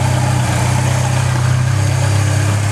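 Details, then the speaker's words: 1997 Ford Escort 2.0 SOHC four-cylinder idling right after a timing belt replacement: smooth, even idle with a steady pulse and no ticks, slaps or stumbles, "hitting right on, purring like a kitten"; job appears successful, normal idle. "Sounds like it's hitting right on. Turn like a kitten."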